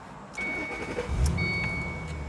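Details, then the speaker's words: 2007 Ford Mustang GT convertible, dealer-maintained, 40,696 miles: starter whirs briefly, the V8 catches at once and settles into a steady, even idle with no misses or knocks; runs strong and smooth. "right up, runs super strong and smooth."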